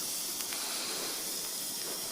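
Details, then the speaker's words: Kingscale Gauge 3 gas-fired 14xx live steam locomotive in reverse, with the regulator opened slightly while pushed along: a steady loud hiss with gurgling and spitting as condensed water is blown out of the cylinders through the chimney. "and i'll just push her along start to clear the cylinders you can hear the water gurgling and squirting up through the chimney then they're ejecting the water from the cylinders from the chimney"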